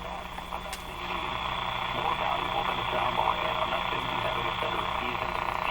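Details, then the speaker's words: Canadian General Electric C701 console receiver on the bench, tuned on AM near 590: irregular crackle and popping over a weak, muffled station; interference probably from a household thermostatic control, not the radio. "that crackle is something probably in my house some thermostatic control operating not nothing to do with the radio"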